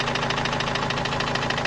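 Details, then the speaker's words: Opel Vivaro common-rail turbo diesel, oil leaking, noise appeared two to three weeks ago, then parked; fast even hammer-like knock about eight per second over idle, source unknown; engine knocking. "السيارة من فترة طلع الصوت هذا، تقريبا من حوالي أسبوعين ثلاثة، والسيارة ركناها ما عاد شغلناها، وهلا رجعت. وهذا الصوت ما عم نعرف منين الصراحة، صوت مثل المطرقة يعني."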